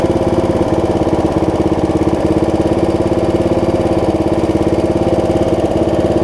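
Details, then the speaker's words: Snapper rear-engine rider after carb cleaning, new deck belt and throttle cable repair; even, steady single-cylinder beat around three and a half pulses a second, clean hum, no misfires, idle to full throttle; running excellent. "that's idle that's full throttle it's like drawing like a dream it's running excellent"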